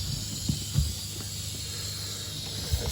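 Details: Faint steady high hiss of water escaping under pressure, heard but not yet seen behind the 2nd-floor bathroom wall, under dull handling knocks. A nail in the base moulding had punctured the 1/2" copper supply line.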